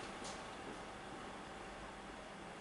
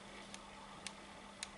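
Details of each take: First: HP ProBook 6460b laptop fan after cleaning: quiet, even airy whir with a faint steady hum, constant calm sound with no more friction; fan previously loud, now running normally. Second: HP ProBook 6460b laptop fan, loud, varying with speed: quiet hiss, low hum and faint sharp ticks about twice a second as the fan impeller rubs its metal housing, not a bearing fault.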